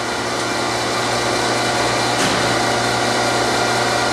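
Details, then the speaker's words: 1982 Aronson HTS20GE 20,000 lb geared elevation headstock/tailstock welding positioner raising: steady low motor hum and gear whir with brief relay click as both ends synchronize via flag system every 90 degrees; drive healthy. "you hear that yeah they pick up they're both going up that's the way the circuitry works they always synchronize themselves at every every 90 degrees"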